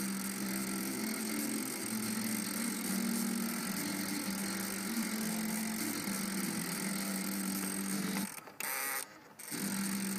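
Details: Car cassette player: steady gritty grind with low hum under faint tape audio, sounding like an underpowered starter; mechanical grind in the cassette mechanism.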